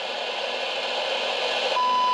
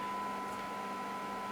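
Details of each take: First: President James CB/10m radio with a receive fault, signal injected at the front-end transistor and compared with the original generator; hiss, then a clean steady whistle clear above the static; front-end transistor suspected of low amplification rather than being completely dead. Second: President James CB/10m radio after the receiver fix, with a -113 dBm test signal; steady 1 kHz tone clearly above soft hiss and peaking at 20 dB SINAD; weak-signal reception is back to normal.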